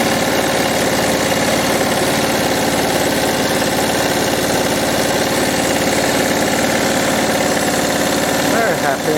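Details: Lawn mower single-cylinder engine during repair/overhaul, with a lot of compression and no brake: firing fast and even with no knocks, misses or rattles; running healthy.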